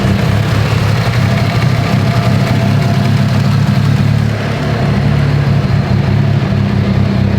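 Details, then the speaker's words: Mitsubishi Evo 8 after cylinder head work, warm after 15–20 minutes, not overheating, oil pressure good, near-freezing air: deep loping idle with slightly uneven but repeating beat, no misfire or knock; normal very lopey idle. "oil pressure is good yeah there's no misfire it's just a it's just a very very lopey car i freaking love this car it's so perfect"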